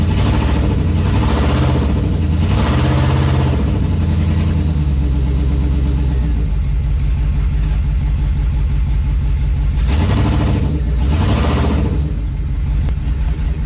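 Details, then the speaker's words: 2002 2500HD, about 622,000 miles, long-sitting parts truck; engine revs up and drops back repeatedly with no load, truck won't move, transmission not taking drive; owner suspects low transmission fluid, later found low on ATF. "Doesn't want to move, but it's been sitting for a super long time. Maybe it's just low on transmission fluid."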